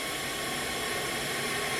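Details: Leak-down test on the second Skoda Octavia vRS's engine, spark plugs out and injectors in: a steady, even, rhythmless hiss as the pressurised cylinder bleeds past the rings into the crankcase.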